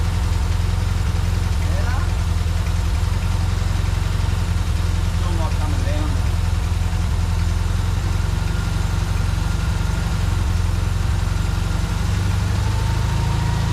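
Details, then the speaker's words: 1952 VW barn door bus ambulance, air-cooled engine, carburetor gravity-fed to rule out fuel pump overpressure: idle sits high and lopes up and down; suspected damaged idle mixture screw bore in carburetor, replacement ordered. "yeah unfortunately no real change there you can kind of hear it hunting too so I think that idle mixture screw I think the bore inside's damaged"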